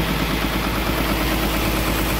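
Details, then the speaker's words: Komatsu PC200-7 excavator diesel running at a steady, even idle with no misses, knocks or starter grinding after repair of a starter motor that only clicked and would not turn; normal idle. "mantap teman-teman ini unit excelnya sudah running ya artinya dinamo starternya sudah beres progress perbaikannya artinya sudah beres"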